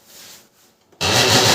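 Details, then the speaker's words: Canon LBP 6030 laser printer at power-on: quiet, then a harsh continuous rasping grind as the mechanism spins up; problem in the gears on both sides. "तो दोनों side में यहां पर gear में problem हो रहा है।"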